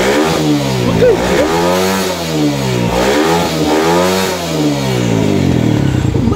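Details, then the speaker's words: Rusi motorcycle after a new stator coil was fitted (faulty pulser gave unstable supply); before the repair it cut out and backfired when revved. Now the revs climb and fall smoothly with a clean pitch, no cutting or popping. Fixed, normal revving. "So yan so tapos na yung ating problema dito sa kanyang ah kumbaga backfire daw na tinatawag."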